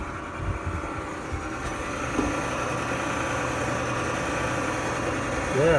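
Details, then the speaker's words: Frigidaire gas dryer after repair (broken drum belt replaced): steady, even motor hum with a soft drum rumble and no squeal, thump or scrape; the drum spins quietly and smoothly. "spinning good quiet dry yeah looks good"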